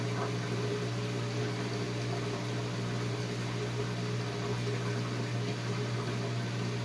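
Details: Whirlpool Duet front-loader washer that had long drain cycles, error codes and a locked door: drain pump running again, quiet steady hum with light water rush from the drain hose, no rattle or grinding; the owner is impressed how quiet it is. Normal drain pump operation.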